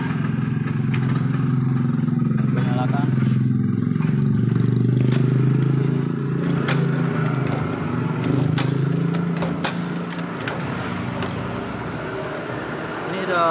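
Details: Yamaha small single-cylinder motorcycle unused for 2 years, after ignition repair: fires and keeps running with a steady low putter and light clatter; running normally now.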